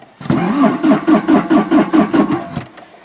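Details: 1984 Toyota SR5 pickup, sat about five years, cold start attempt: about eight even starter chugs at roughly two per second, engine turns freely but never catches; being fed gas into the carb bowl, fuel pump suspected, not confirmed.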